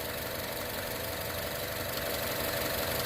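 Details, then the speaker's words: 2015 Chevrolet Cruze turbo four idling after a turbo coolant return line repair and coolant refill, run to bleed air from the cooling system. Steady, even idle with a smooth whirr, no knocks, misses or hiss; no visible leaks, healthy. "like i said we're just letting her run to bleed the cooling system let her burp up any air bubbles if there's any trapped in the cooling system"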